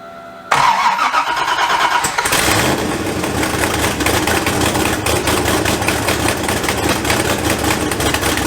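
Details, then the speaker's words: LSZ turbo engine at first start with many new welds, downpipe not yet fitted: cranks and catches, then a loud raspy idle with rapid puffing ticks. One side is sealed with two gaskets, but the exhaust manifold still leaks on the other side. "a lot of the noise out you're hearing is coming from the exhaust part of the turbo so that's good but it's leaking here and it's leaking there"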